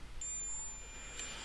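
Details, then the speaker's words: Veon VN3839LED LCD TV that won't turn on with flashing power LED: multimeter continuity test beeps steadily across a diode, a dead short, likely one of paralleled rectifier diodes that failed. "look at that something's not happy on that one is it nope the one next to it you can hear that beeping too"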